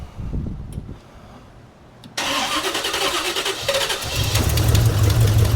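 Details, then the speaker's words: 1972 Chevy El Camino V8, flood-damaged, with HEI distributor and used carburetor, after sealing vacuum leak with bolts in base gasket and readjusting choke: brief crank, clean catch, steady even idle. "Much better. That was the problem."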